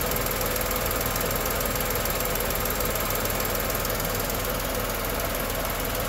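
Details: Tata Nexon 2020 BS6 XZA+S petrol engine idling, AC on/off comparison: steady even hum with light fast ticking and soft hiss; normal idle.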